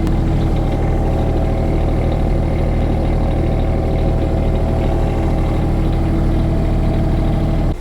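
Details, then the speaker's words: Dynamax Europa 34SS Super C motorhome diesel generator mid-winter, running heat pumps after shore power was disconnected: steady even diesel drone with low hum, no misses or knocks under load; running normally. "So once I disconnected this, then the generator kicked in, and you can hear it."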